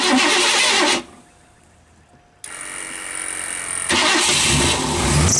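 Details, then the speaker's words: 1984 Lincoln Continental that had sat six months, after a new battery is fitted, on well-over-a-year-old gas: a short burst of cranking, then the engine catches and settles into a steady running note, starting fine with heavy exhaust. "I think now that she's running, a new battery in her is all she needed."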